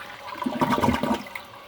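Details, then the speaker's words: Kohler San Rafael Water Guard toilet after 8 years of use: short, soft rush of water that swells and fades within about a second, quiet and even; a normal gentle flush. "you probably can't tell in the video but this toilet actually flushes so quiet that you can hear the sound of the water actually runnin"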